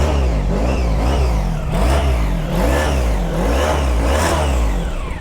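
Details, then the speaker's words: High-mileage big motorcycle, 71,900 miles, bought for under £1000, sticky brakes, engine said to sound sweet: repeated smooth throttle blips, revs rising and falling cleanly with deep even roar; normal revving. "mean, it sounds good, doesn't it? Engine sounds good. Listen to that roar as I'm going to be riding down the road, hacking up the miles."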